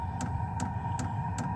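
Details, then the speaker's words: HCALORY diesel heater powered by a Jackery Explorer 2000 Plus, starting up in subzero winter camping: sharp regular ticks about 2.5 per second over a low hum, fuel pump clicking as it starts; normal fuel pump ticking at startup. "yeah it'll take a few minutes so okay I can hear the fuel pump"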